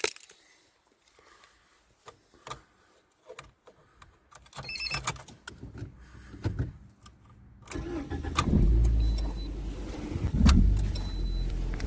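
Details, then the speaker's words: Engine after an engine flush and change to ZIC X9 5W-40 synthetic oil and new filter, meant to cure hydraulic lifter knock, started after sitting 6 hours; cranks, catches, even idle, no tapping. "какой вид можешь слышать никаких стуков посторонних ничего не знаешь"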